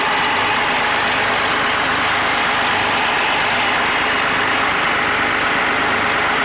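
Steady diesel clatter at an even idle, no loud irregular tapping or misfire standing out; sounds like a healthy running engine.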